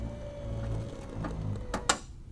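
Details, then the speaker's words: 1996 Cadillac Fleetwood Brougham trunk power pull-down, with the old motor reinstalled without alignment, draws the lid shut with a soft steady hum and two crisp latch clicks. Normal, healthy closing. "I'm just fascinated by the by the pull down and you don't slam it"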